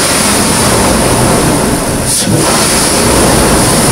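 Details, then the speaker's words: 2008 Nissan Pathfinder V8 just after a Volant Powercore cold-air intake install, first start, engine cover off: revving with a loud, hollow intake roar rising with throttle as air rushes by the throttle body. Normal intake induction noise. "ma'am you can totally hear the air sucking by the throttle body if you pop it open there's a whole cool"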